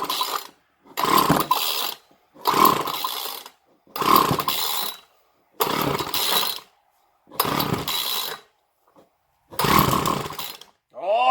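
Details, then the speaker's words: Craftsman 2-stroke string trimmer, model 358.797270, with air filter off, starting fluid sprayed into intake and throttle wide open: repeated short revving bursts dying within a second. Spark is good; a fuel-supply problem is suspected. "she fired something so that means it's getting spark because if it didn't get sparked it won't fire so it's not happy about some sort of fuel scenario"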